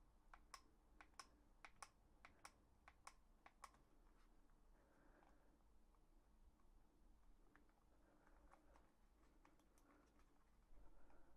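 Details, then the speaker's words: Asus Keris 2 Ace mouse after two months of use. The plastic shell clicks, creaks and flexes inward when pressed, followed by faint loose ticking from inside; the owner is unsure whether it's the encoder or the battery. "почав скрипіти пластик плюс місцями він просто реально прожимається туди всередину"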